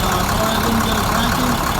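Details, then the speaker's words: International DT466 diesel truck, first start after in-frame rebuild with fresh oil and coolant: heavy diesel idle with slightly uneven shaky beat and steady clatter; injectors still need to prime, rough idle. "Right now it's a little shaky. The injectors need to climb up. You can hear it."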